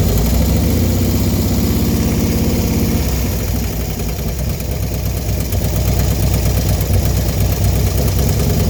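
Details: Small engine right after installing a 110 kit: choppy idle with fast, uneven ticking on top; clicking noise after installation.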